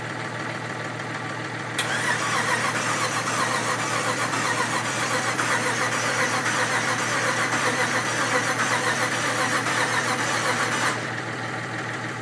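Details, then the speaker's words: 1967 Ford F100 with a 5.7 Hemi fitted with Eagle heads and pistons, first start attempt: steady cranking at about four turns a second for nine seconds with no firing; no spark, troubleshooting points to failed coil drivers. "well it's now a few days later because I couldn't get it to run last time and did a whole bunch of troubleshooting and all I could come up with was we had no spark at all"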